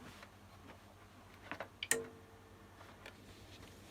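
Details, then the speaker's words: APC Smart-UPS 1500 (good unit, working battery pack) powering up from mains: soft transformer thud and sharp relay click at switch-on, then faint steady side-fan hum; normal UPS power-up. "if i connect power to the good unit here you'll notice when the mains goes in you hear a sort of thud sound from the transformer and stuff that's in it and the relay's clicking in and then you also hear the fan running on the side so i'll do that now"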